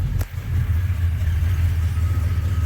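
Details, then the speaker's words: Restored 1990 Jeep Grand Wagoneer, rebuilt carbureted AMC 360 V8, started with a gas pedal press; short crank into a deep steady idle with no knocks or misses, runs really good. "a little bit because it's got a carb. Got to hit the gas pedal. But this thing runs really good."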